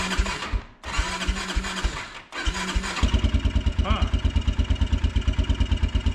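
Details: Kawasaki Brute Force 300 ATV with Kymco engine, ice cold, just after tightened valves were adjusted for hard starting, backfiring and black plug, no choke: two short cranking bursts fail, then it catches at three seconds and settles into even idle; hard cold start.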